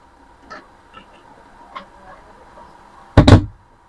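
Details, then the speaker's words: Amplifier at full volume: one channel normal hum, other channel sparks at the speaker output wiring, sudden loud crackling burst from the speaker; fault in that one channel. "Hai ada menimbulkan percikkan api untuk di bagian jalur kabelnya di seperti ini jadi speakernya terdengar suara nguji kalau satunya cuma suara dengungan tapi normal dengungan"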